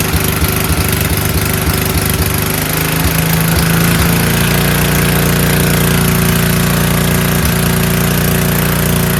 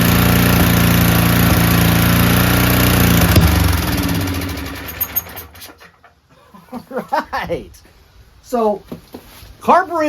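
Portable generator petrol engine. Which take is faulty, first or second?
second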